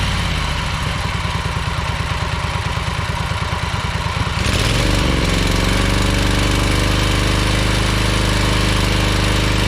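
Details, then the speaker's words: Ferris 52-inch walk-behind commercial hydro mower twin engine: lumpy, uneven putting about three beats a second, worse with PTO engaged, smoking, low power; running on one cylinder because a bad carb o-ring blocked a fuel jet. "you can here and see it's smoking and especially when you engage the PTO it runs even worse it doesn't have a lot of power"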